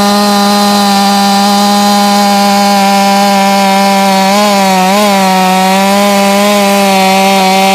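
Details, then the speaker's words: Jonsered 2156 chainsaw (same as Husqvarna 357) at wide open throttle: steady high scream around 13,600 rpm, sagging to about 11,500, not climbing with more fuel; owner suspects a limited coil; rpm not rising at wide open throttle. "still at like 136 I think maybe this has a limited coil on it didn't gain anything in RPM that time same thing getting down about 115 116 so we'll give it more"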